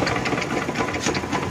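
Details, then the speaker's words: TMX 150 motorcycle running after costly repairs, still loud fast mechanical clatter; crankshaft bearing loose even though newly replaced, and a washer found installed upside down. "itong Bering na ' ay kalog kahit bago to kalog pa rin yan kasi replacement"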